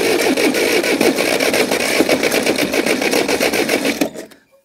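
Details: Case 450 dozer, guessed late 70s or early 80s, abandoned a few years after throwing a track, engine not locked up, cranked on ether with throttle held: rapid uneven chuffing about 3-4 beats a second, never catching; cranks but won't start.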